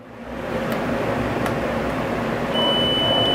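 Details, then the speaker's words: Voyager 600 W on-grid solar inverter repair: multimeter continuity test on the board gives a steady high beep on the first MOSFET, showing it shorted; shorted MOSFET. "ncostar aqui provavelmente tem curta apitou o primeiro machete está em curto"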